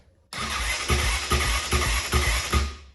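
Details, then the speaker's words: 2005 Honda CRF450X, stored about 10 years, dead battery jumped with jump box, clutch pulled: even starter whir with regular compression pulses, about two a second, as the single turns over freely; electric start works fine. "so the electric start works fine that's awesome"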